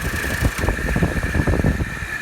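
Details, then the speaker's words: DIY-installed central AC outdoor unit running just after recharging: a steady high whine over an uneven, rattly rumble from the condenser fan motor's failing bearings, quieted by a brick on top; the motor needs replacing soon. "i'm sure you can probably hear the bearings in that fan motor are going bad so i will have to replace that fan motor in the not too distant future"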